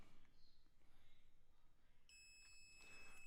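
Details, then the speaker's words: 2015 15-inch MacBook Pro A1398 with no backlight: a multimeter in continuity mode gives a steady high-pitched beep as the probes bridge the backlight fuse, showing the fuse is good. "and that fuse is good so we know that the backlight fuse is good"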